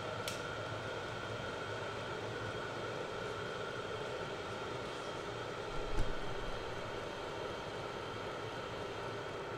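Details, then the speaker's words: Cheap Chinese diesel heater, exhaust vented into a garage, about four minutes in with one of its two Ryobi batteries switched off: steady even whir with constant fan tone and one click; keeps running smoothly. "I can shut off one of the batteries here I'll shut one off right now still running"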